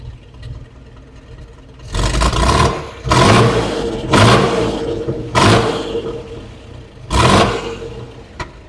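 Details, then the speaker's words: 1915 Scripps-Booth Vitesse overhead-valve V8 race car, rebuilt engine with about 100 miles, Zenith updraft two-barrel idle mixture just set with a CO meter; five quick throttle blips return cleanly to a lower, steady idle with no stumble, smooth and refined. "Sounds great. so it's just more refined now. It is. It's very smooth."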